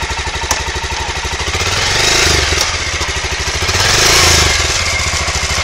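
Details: Aprilia Pegaso 650 (2003–2007) single-cylinder engine runs round and even, about three beats a second, revving cleanly twice with no clatter or misses; holds idle well, no white smoke, good compression; normal running.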